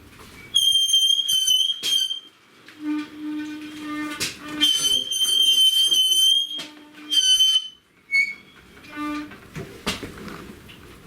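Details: Yamaha YBR 125 rear brake, brake repeatedly applied before cleaning: shrill, steady squeal near 3 kHz in repeated bursts from squeaking rear brake pads, to be fixed by removing the wheel and cleaning the pads.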